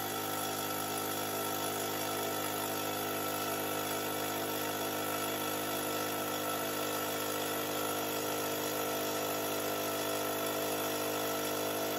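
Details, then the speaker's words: Fortress 5 gallon air compressor, about a year old: constant motor and pump drone with no cut-out, passing 225 psi cutoff toward about 275 until relief valve blows; owner suspects failed pressure switch; not shutting off. "okay so as you heard it should have shut off around 225 psi but it climbed all the way up to probably almost 275 before it finally blew that pressure relief valve and then i turned the compressor off"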